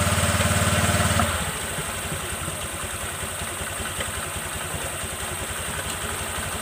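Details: Honda New Vario 125 LED scooter started after light service with the CVT rollers and drive belt cleaned and reassembled; brief blip, then a steady, even idle putter about four beats a second, no rattles or knocks; sounds healthy.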